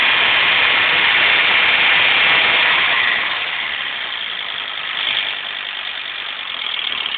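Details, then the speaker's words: VW LT35 diesel at idle: steady idle carries a harsh metallic rattle ticking about four times a second over the diesel clatter; source unclear, owner mentions the belt. "I don't know if you can pick it up but you can hear it from me like rattle rattle rattle rattle"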